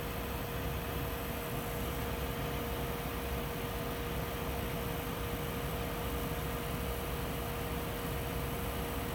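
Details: Corsair CX850M desktop PC power supply: a steady, thin buzzing tone over a constant airy hiss. Power supply buzzing.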